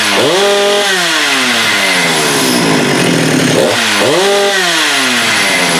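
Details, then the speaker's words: Husqvarna 394 chainsaw with HyWay Titanikel 58mm big bore pop-up cylinder (395 project), cold day; aftermarket carb fitted in place of OEM, no load; snaps cleanly to a high scream around 12,100 rpm (was 10,500-10,900), drops back and revs again with crisp response: normal running. "Well, I think that proves that it was the carb. We got the 12.1. So that's a 2,000 RPM increase."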